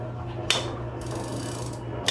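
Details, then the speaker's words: Bicycle square-taper crankset with Shimano crank: two sharp metallic clicks about 1.5 s apart, once per pedal stroke under load, worst standing; worn left crank arm loosening on taper, to be replaced with HollowTech crankset. "talagang may lagitik guys, lalong lalo na pagtatayuan mo, yung tipong magre-relax ka."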